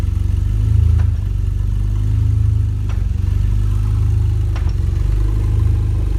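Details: BMW E46 330xi engine: deep steady rumble with occasional sharp knocks at irregular intervals.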